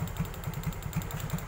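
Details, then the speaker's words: Yamaha Mio/X-Ride scooter that stalls suddenly while riding, held at throttle: low, uneven thumps with irregular gaps, hunting and rough. It is sometimes normal, sometimes not, then dies; ignition judged normal. "Ini posisinya ngegas, dia langsamnya tidak normal. Tuh. Berbet ya, ini kelihatan berbet."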